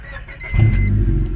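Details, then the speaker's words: 1999 Honda Civic EK just after replacement catalytic converter installed and codes cleared (P0420 had been set); quick crank, catches and settles to smooth idle, much quieter than before with no exhaust rasp; normal start. "oh nice that's a lot quieter for sure that's a lot lot quieter way better"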